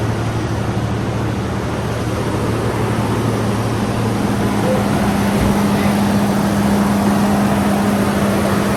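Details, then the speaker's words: 1994 Toyota pickup, sat 8 years, after new fuel pump and cleaned tank with fresh fuel: even steady low hum with no knocks or misses; first start in 8 years, normal idle. "First start in 8 years. Sound pretty good."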